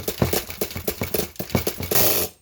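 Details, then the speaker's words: Nitro RC car engine: starter chatters in uneven bursts about four per second and never catches; the engine is flooded from over-priming. "your engines flooded it all over primed so let me pause for a second"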